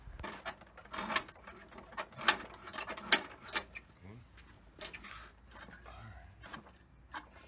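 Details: Poulan Pro mower with a 190cc Briggs & Stratton engine that had sat unused: primer works, but recoil pulls whir and rattle with no catch, sputter or smoke; cranks but won't fire, and the spark plug gets checked next.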